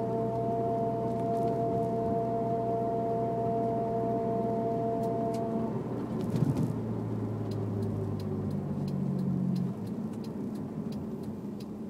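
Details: Honda S2000 under throttle: steady clear whine over the car's rumble, only with foot on the gas, cutting out when load comes off; owner unsure if differential or transmission.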